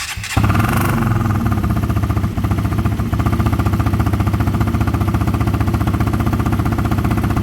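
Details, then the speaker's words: KTM Duke 125 just after installing a fuel module: short crank catches quickly into a steady single-cylinder thump about four beats a second, clean idle while the module adapts; seems to sound better. "Give it a minute. Give it a minute. I feel like it kind of sounds better."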